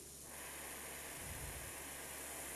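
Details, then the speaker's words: Brazing torch on copper refrigeration pipe with both valves opened wider: harsh, sharp, steady roaring hiss of an oxidizing, cutting-type flame; it heats the pipe fast but oxidizes the copper inside, so the mixture must be turned down. "es una mezcla para cortar este sonido es para cortar metal pero también este es un sonido que nosotros le llamamos oxidado"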